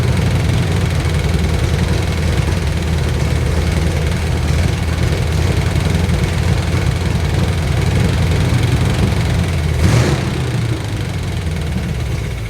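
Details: Abandoned Chevrolet C20 truck after timing adjustment: low, lumpy idle surging and stumbling without a steady beat; rough idle; timing checked okay with the timing light, so the owner suspects the carburetor.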